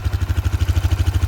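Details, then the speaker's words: 2008 Yamaha Grizzly 350 4x4 IRS single-cylinder ATV, one owner, 1500 hours, running after a new battery and starter solenoid with no carburetor or fuel work: strong, even low thumping with no backfiring or missing. "no backfiring no missing no nothing i mean it just y'all watch this watch this keon boom that's all it took i didn't have to mess with the carburetor"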